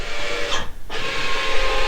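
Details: 2024 SeaDoo RXT-X 325 iBR module auto-calibration in BUDS after trim stop adjustment: a short electric motor whir and scrape, a pause, then a steady hum as the actuator drives through its travel; calibration succeeded; normal operation.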